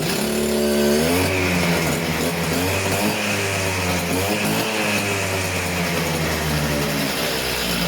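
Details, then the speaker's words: Stihl disc cutter, newly acquired, two-stroke started cold on choke; crisp buzz picks up cleanly and holds steady through throttle blips, running fantastic; service with new air filter and plug still planned. "right and as you can see that's running fantastic actually"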